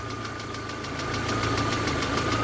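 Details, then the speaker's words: VAZ 2112 warmed up at idle with faulty ignition module (resistance below spec): uneven thumps and stumbling beat as spark drops out and one cylinder cuts out, shaking; misfire from faulty ignition module. "движок прогрелся и вот началось двигатель троит слышно да как троит как было до этого"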